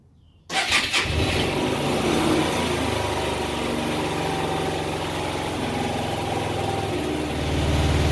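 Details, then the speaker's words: 2004 Hyosung GT250 Comet after carb cleaning and new fuel filter, started on a jump pack: catches after a quiet moment into a fast, uneven cold idle on choke that smooths as it warms, choke nearly off. Normal cold start. "okay so I don't know if you can hear me or not but we're gonna let it warm up a little bit I've almost got the choke all the way off and it's idling about where it should be"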